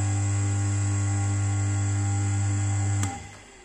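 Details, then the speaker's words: Dzhambo 70/50 P-50 water pump motor that hummed without turning, run on mains power with the pump parts removed; even, steady hum for three seconds with no grinding or rubbing, then a clean switch-off, no burnt smell: the motor is fine, only the pump internals need replacing. "сейчас попробуем в розеточку одну попробуем работать Лигу все двигатель работает"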